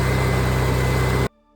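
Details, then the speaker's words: Onan generator after new inline fuel filter installed, started cold unprimed: even, steady low hum with smooth regular beat and no misses for about a second before it stops; runs much better, normal running. "all right well I'm impressed I think it uh I think it runs much better now"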